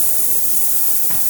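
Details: Cleaning tank at a fire restoration center: constant high hiss with faint steady buzz underneath, no dropouts or rattles; running normally.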